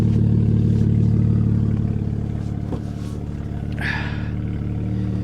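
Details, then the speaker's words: Mazda RX8 Shinka rotary at a salvage auction, possibly water-damaged; loud, raspy straight-piped-sounding exhaust with an uneven pulsing idle about three beats a second; missing catalytic converters suspected, unconfirmed; rough running with loud exhaust. "let's come back to the exhaust it just sounds straight piped i wonder if we can get under there and take a closer look no it's not is it missing the cats or something surely it's not supposed to sound that way"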